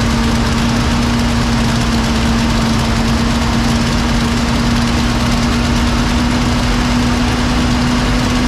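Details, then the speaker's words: 1970 Mustang V8 with Edelbrock carburetor holds a fast, even idle with a faint whistle, well above normal. Idle was set high during a large vacuum leak and the engine ran rich; a vacuum leak may remain. "that idle is so high yeah well it's been it was adjusted for we're having a huge vacuum wage we might still have a vacuum"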